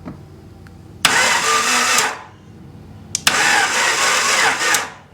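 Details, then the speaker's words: 1991 Honda Civic after 10+ years sitting, first test start after priming; two sluggish, labouring one-second cranks without catching, battery dead: slow crank from weak battery. "Might have a low battery or something. Sounds like it. Yeah, André wants to turn over."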